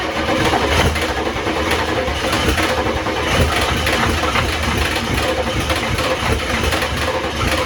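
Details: 1994 Ford F-250 IDI diesel first start after sitting years, no antifreeze: loud raspy idle with fast sharp ticking puff over clatter; huge exhaust manifold leak, owner thinks one side's manifold cracked.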